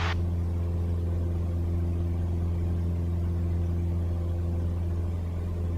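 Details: Light aircraft climbing after a go-around, carb heat pushed back in to restore power: deep, steady engine drone holding an even, full note with no surging or roughness; normal full climb power.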